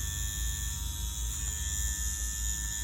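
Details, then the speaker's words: Ambition Ninja wireless pen tattoo machine at about 7.5 V with a 7-round liner: steady, even buzz over a constant low hum with no stutter or rattle, low vibration, very consistent. Normal running. "Very nice, very consistent, as you see."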